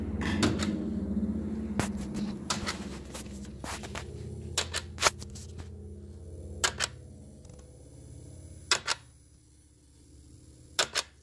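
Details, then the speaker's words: Pontiac G6 with intermittent no-crank/no-start and dying in rain, codes P1682 and P0685; car runs with fuse 3 missing, and inserting a fuse there makes relays in the fuse block click irregularly; fuse block fault suspected, not confirmed. "Now if I try inserting a fuse into where fuse 3 is supposed to go, that's what I'm doing right now. Now we hear all kinds of relays come"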